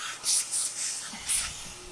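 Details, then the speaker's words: Kenworth K100 cabover, air suspension bags being inflated to lift off axle stands with no engine fitted: short bursts of sharp high hiss over quiet background, compressed air escaping from a leak in the lines. "awesome i can hear an air leak so that's perfect"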